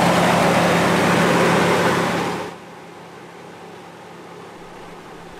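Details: Toyota 4Runner 3.4 L V6 after tightening loose serpentine belts and idler pulley bolt: engine runs with a steady low hum and loud rush, no belt squeal heard.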